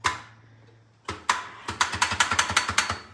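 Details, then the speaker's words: Honda S2000 with full turbo kit installed, first startup attempts after weak cranking: only a quick run of about a dozen sharp dry clicks in two seconds, no cranking; starter clicking from dead battery. ">> Uhoh, the battery is dead."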